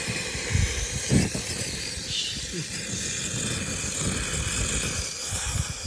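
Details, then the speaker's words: Campy Gear Chubby 2-in-1 portable propane heater and stove: a loud gas hiss with irregular roaring whooshes as the burner flares up into huge flames from a wrong mixture; owner suspects a hose clog, not confirmed. "it wasn't getting the right mixture and this thing actually basically flashed and was making huge flames out of it and was extremely dangerous"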